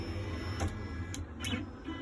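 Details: Upgraded Bob's CNC re-homed after swapping the X and Y limit stops, which had been wired backwards and caused a wobble: short stepper buzz with light clicks, smooth and even. Normal homing.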